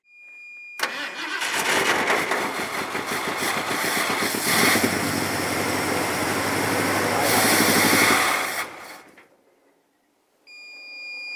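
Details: Old Ford extended-cab truck of unknown year. The starter cranks and the engine catches, runs ragged for several seconds, then dies, starving for fuel.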